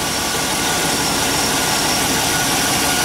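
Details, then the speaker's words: Engine after cleaning, starting much better: steady, even idle with smooth rumble, no knocks or misses; alternator now appears to be charging. "okay that started a lot better that started a lot better sounds like the alternator is charging now"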